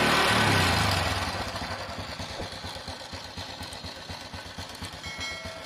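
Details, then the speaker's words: Honda Absolute Revo idling: harsh, rapid metallic rattle ticking over the exhaust beat, rough top-end noise; mechanic suspects a worn or old cam chain (rantai keteng), not yet confirmed. "telah kita dengar tadi suara mesin tidak normal suaranya kasar kemungkinan kita akan buka dulu rantai klubnya sudah aus atau pun sudah tua"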